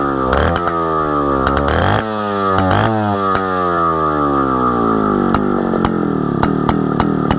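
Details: 1960s Solo 626 (Solo 60126) 70cc two-stroke chainsaw after sitting for years, first run before carb and fuel system clean: crisp revs climbing and falling with each throttle blip, firing clean and even with no stumble; runs healthy.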